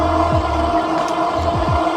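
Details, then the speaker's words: Heybike Hero carbon-frame e-bike mid range test while pedaling: a steady, fairly high whine over the hub motor hum that had newly appeared. Cause unconfirmed. "oh that motor is making a crazy whining noise now"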